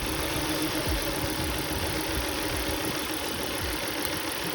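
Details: 2003 Volvo V70 2.4 four-cylinder: uneven, stumbling idle with irregular dips and no steady rhythm; cylinder misfire, code 3502, failing ignition coil suspected.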